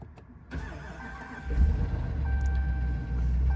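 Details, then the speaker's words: 2019 Ram 2500 6.4 Hemi, 24,000 miles, oil apparently never changed and mostly consumed, new starter just fitted. A slow, dragging crank, then a rough, heavy rumble with knocking and ticking: severe internal failure from oil starvation, engine needs replacing. "did not sound like a healthy crank there a healthy start i don't know if you can hear this but something does not sound well with this engine"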